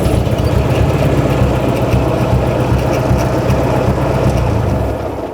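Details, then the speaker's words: Ford 600 tractor idling rough and uneven, the beat stumbling as one cylinder drops out; a misfire that could be a bad spark plug or something more serious like a stuck valve. "you could hear how it was missing on one cylinder now when a tractor is missing it could be something as simple as one sparkplug that's bad or it could be more serious like a valve that's stuck"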